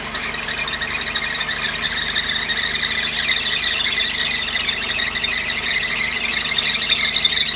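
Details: Mercedes 190E 2.3 idling: high chirping squeal about three times a second from the front of the engine; bearings checked fine by stethoscope, water on belt quiets it temporarily; cause believed to be the belt or belt tension.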